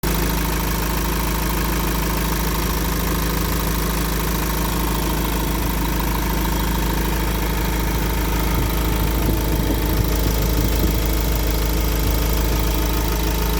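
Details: Iveco diesel idling evenly with a rough, uneven internal knocking about three times a second; engine noise at idle, cause unclear.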